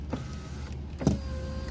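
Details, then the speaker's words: VW Mk6 Jetta rear right power window, door panel off: motor hum with sharp clicks and a clunk as the glass moves, caused by a loose 10 mm regulator bolt; tightening it fixed the rattle over bumps. "so my window was rattling see it was more like it's more like that so you can hear that click that clunk"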